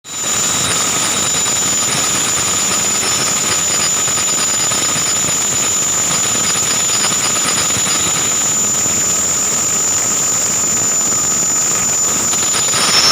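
A steady, piercing high squeal rides over the running engine for the whole clip without letting up, pointing to a slipping accessory belt.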